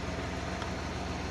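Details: Multicab small petrol engine, idling after the water-sensitive distributor and rotor cup were cleaned of flux that had caused stalling in rain; steady, even low idle with no misses, stumbles or surging. Normal, healthy idle.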